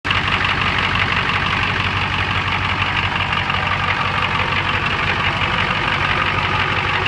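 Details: Ford 7.3 IDI diesel idling with an uneven, lumpy beat of about three pulses a second: rough idle traced to a leaking fuel return line.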